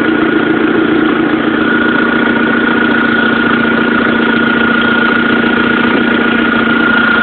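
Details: 1.8T petrol idle with a light, quick tick about three or four a second; owner suspects an exhaust manifold leak, unconfirmed.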